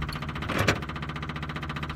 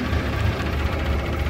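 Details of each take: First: Austin 7 or Riley 9 pre-war car, warm, with 3 litres of fuel: steady chuffing crank, a brief surge, then dies without restarting; owner suspects the fuel level is too low. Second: Pre-war car engine, either an Austin 7 or a Riley 9, at full temperature after warming up under load: low, even idle putter with no knocks or misses; oil pressure is down about 5 psi, which is normal.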